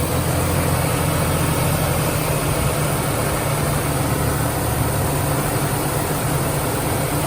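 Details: 1996 Ford Ranger at first start after a vacuum leak was plugged idles with a steady, even low rumble and no stumbles, knocks or hiss; normal, healthy idle.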